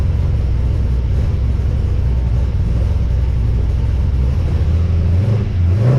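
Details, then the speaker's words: XG ute fitted with CNC-ported heads, VCM 13 cam and standard pushrods, fresh oil, first warm-up start after install: deep steady rumble climbing smoothly in pitch as revs rise, no knocks or ticks; normal idle and revving. "so how good does that sound"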